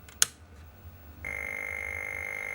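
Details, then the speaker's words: Atari 1040STFM with its keyboard unplugged, showing a white screen: a quiet hiss, then a steady high whistle with a piercing overtone. This noise occurs because the keyboard is not plugged in. "That's what that noise is cuz it's keyboard's not plugged in."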